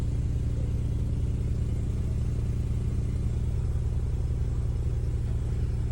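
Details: BMW 520i F10 LCI with N20 engine, aluminium charge pipe and boost pipe fitted: steady deep engine rumble with a regular low throb of about three to four pulses a second in reverse gear; owner suspects the pipes, unconfirmed.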